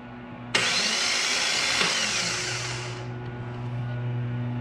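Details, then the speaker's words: Jeep Cherokee with LS engine swap, new starter, start attempt: harsh hissing whir for about two and a half seconds on cranking without the engine catching; abnormal starter cranking noise, starter issue suspected. "i wanted to get this thing started by the end of this video but it seems like we're having some starter issues"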